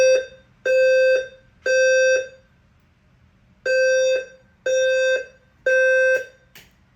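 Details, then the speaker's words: Home fire alarm system during an inspection fire drill: three long, steady high-pitched tones about a second apart, a pause, then three more, with a voice evacuation message; evacuation signal working normally. "So now I will do the fire drill. Evac. Attention, the fire alarm has been activated in the building."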